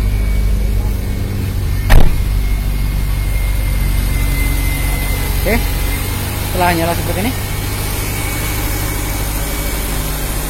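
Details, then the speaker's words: Nissan Grand Livina after replacing leaking coil protector sleeves and all ignition coils, which had caused misfire, rough running and dead coils: smooth, even idle with a steady low hum and no stumbling or misfire; repair successful; normal idle. "Hai bunyi oke tidak ada berebut sama sekali ini menandakan pekerjaan telah berhasil"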